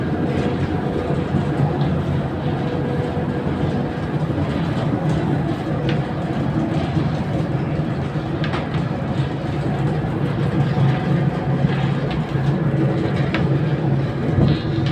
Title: #332 AHU Blower Bearing Drive End Side Abnormal Sound Issue Identify Work @javeedhvactechnician7760